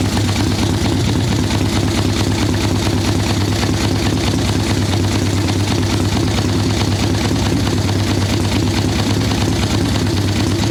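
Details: Harley ironhead Sportster XLCH chopper V-twin, Mikuni VM38 carb, idle tuning on fresh plugs, cold wet day: loping, uneven idle with soft lazy pulse that stumbles now and then, "a little boggy, she's not happy"; mixture too rich.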